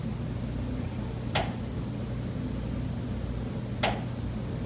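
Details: Condo unit, September: two sharp, hollow knocks about two and a half seconds apart over a steady low hum. Pipes behind the kitchen wall knock constantly day and night, audible through the kitchen and living area; cause unknown.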